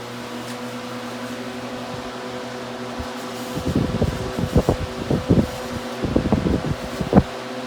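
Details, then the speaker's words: Vintage Mimar model 425 coaxial fan, freshly cleaned and oiled, grills attached: steady hum with a light irregular rattle on high speed; something loose buzzing, source unclear. "Yeah, it just rattles a little bit on high. Extremely powerful."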